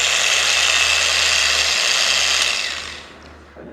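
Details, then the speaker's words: Bosch GWS variable-speed angle grinder at speed 1: steady high whirr sounding strained, as if the motor were failing, then winding down; said to be common for this model with no power loss, normal low-speed sound. "Is that it's speed 1? Well, you hear it? No. But it makes the noise as if the engine is"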